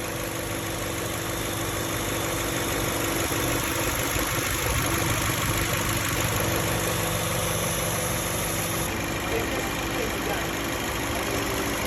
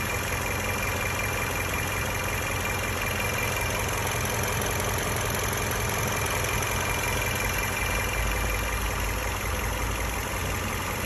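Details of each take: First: Toyota Camry AXVH71L with a misfire and vibration complaint addressed by new spark plugs, cleaned injectors and a cleaned throttle body: an even, steady idle hum with no stumbles or uneven beats at constant speed, a normal smooth idle. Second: Toyota Camry AXVH71L petrol engine idling with an uneven, stumbling low thrum and vibration; misfire at idle with check engine light, addressed by changing spark plugs and cleaning injectors and throttle body.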